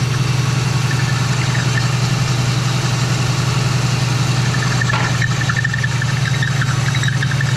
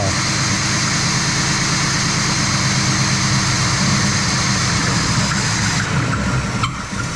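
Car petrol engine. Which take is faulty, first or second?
second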